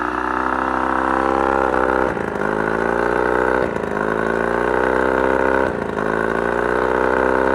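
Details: Mercury 35hp two-stroke outboard at mid throttle: steady buzz stumbling three times, revs sagging then catching, about every two seconds; random misfire nearly cutting motor, otherwise runs great.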